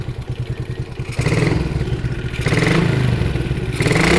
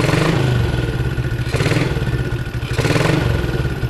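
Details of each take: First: Yamaha Jupiter MX after jumpering the stator coil (spul), which was suspected shorted and old; revs up and down with an even beat and no whine, whistle or hum; normal running, no stator whine. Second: Yamaha Jupiter MX engine revved with the stator (spul) socket unplugged, mic near the engine: thin whistling hum persists, also flickering the headlight.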